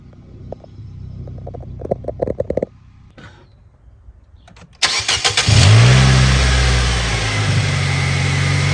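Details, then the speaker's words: Nissan Sentra (2013-2019) CVT with transmission codes stored: engine catches and revs to steady drone in reverse but car doesn't move, no engagement in reverse, drive or low; CVT slipping, not engaging, to be replaced. "I can hear it trying to go in reverse. It seemed like it went in reverse. R there. Nothing."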